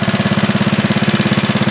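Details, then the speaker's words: 1939 Onan DC generator rated 115 V, running after repair with a 300-watt light load, half its rating; governor linkage visibly responds. Fast, even beat of about seventeen pulses a second holds steady; engine and governor healthy. "Well, as soon as you kicked that in there, he knew that was on there. You know what? Watch the governor linking."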